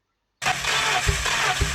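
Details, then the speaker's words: Peugeot 806 Procar replica: cranks and only half catches with uneven, lumpy firing on two cylinders; compression test shows 0 on cylinders 1 and 3 and about 11 on 2 and 4. "on entend très bien qu'il y a pas de compression de sur deux cylindres on entend très bien que le peu de temps où il arrive à péter il pète sur deux cylindres"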